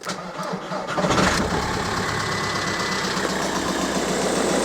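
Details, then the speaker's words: VW Golf Mk4 with PD130 diesel engine, first start after replacing the injector loom and refitting the EGR valve: brief cranking, catches at once, settles into steady diesel clatter at idle; "loads healthier, listen to that baby purr"; normal start. "alright yeah that's what it on for yeah loads healthier that look no healthier listen to that baby purr"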